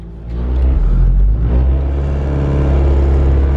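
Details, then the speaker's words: Ford Focus ZX3 idling after replacing worn engine mounts: heavy low drumming and shaky throb heard as the before sound; new mounts cure the vibration, no shake or rattle even in second gear. "we ended up finding out that the Hat the rest of the mounts were messed up so let's go ahead and turn this thing on see if it vibrates like it used to"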